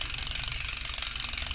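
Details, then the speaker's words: Normal freehub engagement on a Sondors Rockstar e-bike rear wheel after fitting a steel 6-pawl Shimano-style freehub body (three times the stock engagement): quick, even ticking buzz with crisp high rattle, steady rhythm, no skips or grinding. "listen to this thing you got your six paws engaging in there"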